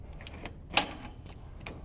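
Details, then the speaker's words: Replacement door knob/handle being installed: latch pushed in far enough to confirm it catches, since a misplaced latch can go in without latching; single crisp metallic click as it snaps home into the strike plate; lock then works perfectly. "Remember I said before, sometimes if it's not placed properly, it'll go in, but it won't latch. So we need to confirm that it goes in far enough that we hear that latch actually catch."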